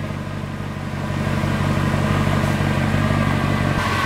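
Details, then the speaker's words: Mercedes W212 E63 AMG after throttle body plate replacement and injector cleaning, previously very rough: deep, steady idle that firms up and stays even, no stumbling or hunting; normal idle. "wow she is she is purring listen to that thing"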